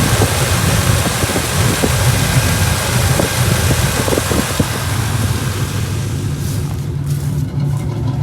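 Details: Pontiac Grand Prix G-body with a cammed 305 small-block Chevy, new plug wires fitted, running rough when stopped or in stop-and-go traffic: deep, uneven idle lope with irregular stumbles from a random misfire.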